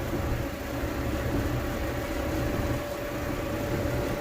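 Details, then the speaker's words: Electrolux dryer after replacing the blower motor that caused the grinding: steady, even hum with a faint constant tone and no scraping or grinding; the dryer runs smoothly. "so no more noise looks like it's running pretty pretty"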